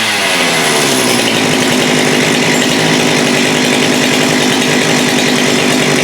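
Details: Husqvarna 394 chainsaw with HyWay 58 mm big-bore cylinder (395 project), after swapping to an aftermarket carb: steady full-throttle two-stroke scream at no load, clean with no sag, reaching about 12,100 rpm versus 10,900 before.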